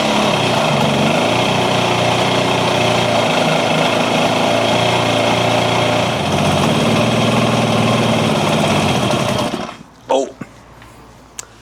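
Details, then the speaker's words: Classic Kawasaki KH250 two-stroke, with a new gel battery, fires up: crisp, rapid popping runs steadily for about nine seconds, then fades and dies instead of settling. It won't hold idle, and the fuel tap is shut off. "Bugger, doesn't quite idle. Let's turn that petrol tap off quick."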